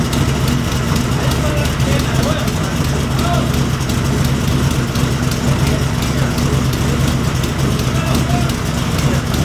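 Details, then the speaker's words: Wrecked Cobra rebuild, first start with Holley display, pressure 55: fires and settles into a steady, even low idle with no knocks, misses or surging; temperatures and fuel pressure read fine; normal idle. "car runs things look good we got temperature we got oil pressure we got oil temperature we got water temperature fuel pressure so motor runs sounds good"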